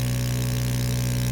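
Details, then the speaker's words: Mini 3D vacuum heat press, vacuum pump evacuating the ceramic plate before sublimation: steady even low hum, constant pitch, no rattles or surging; normal vacuum pump operation. "you can see how fast the ceramic plate is getting vacuumed"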